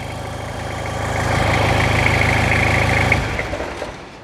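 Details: 1999 Toyota Hilux SR5 2.8 diesel, started on auxiliary battery: rough idle with steady rapid clatter around 220 beats a minute over a low rumble; diesel knocking persists, cause unclear.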